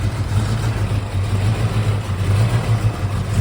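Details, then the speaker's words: Abandoned Fox Body Mustang 5.0 V8 automatic, left sitting in a field for years, just started on a little fuel. It has a deep, steady rumble at fast idle with no knocking or ticking and sounds good. "What? This sounds good."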